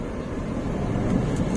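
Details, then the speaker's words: 2021 Toyota Avanza G 1.3 manual rolling over a tall speed bump in gear at very low rpm without pressing the clutch: a low, steady rumble with no shudder or rattle, so the engine is lugging but fine. "Lihat, belum ada suara berderak, jadi aman, itulah cirinya."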